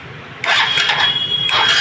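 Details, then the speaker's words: Honda Dream Yuga motorcycle after engine rebuild (previously crank noise and seizing), electric start: catches cleanly and settles into an even, steady idle; the earlier crank knock is gone, normal start and idle. "है दोस्तों गाड़ी sound अच्छा आया गाड़ी का sound आप सुन सकते हैं पहले साउंड कैसा आहा गाड़ी में तो दोस्तों साउंड इसका तो अच्छा आ गया आएगा जो क्रैंक की आती थ उसम आवाज पूरी हो चुकी खत्म"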